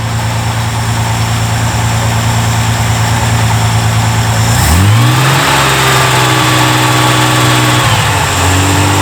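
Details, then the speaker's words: Reliant Scimitar classic car idling and blipped with light regular top-end ticking: valve lash adjusted before, now all tappets ticking again and one rattling badly. "well now they're all ticking again and that one that was still rattling is now really rattling have a listen"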